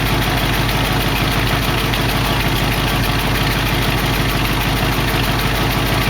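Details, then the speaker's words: 1968 AMX V8 at steady idle after getting the old Motorcraft carb mostly working: light, fairly even ticking about twice a second riding on top, one noisy hydraulic lifter not getting any better, maybe a little; exhaust pipes have a gap, one side still smoking. "that lifter don't seem to be getting any better maybe a little that's pretty good"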